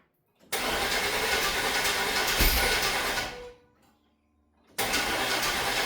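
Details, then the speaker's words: OBS Chevy GMT400 truck revived after sitting, old fuel drained, battery tender hooked up and starting fluid sprayed: long, even starter cranking that never catches, pause, more cranking; owner suspects old spark plugs, cap and rotor, not hitting all cylinders. "I think we're really close to getting this thing running, but it just sounds like it's not hitting on all cylinders."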